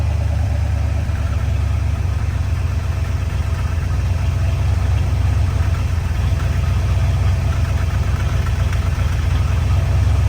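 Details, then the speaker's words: Cold Plymouth V8, stock Carter carb, sooty and watery exhaust at startup: deep, loping, irregular idle rumble; owner suspects it's not hitting on all 8, bottom end probably tired, top end recently cleaned with new valve stem seals. "Like maybe it's not hitting on all 8."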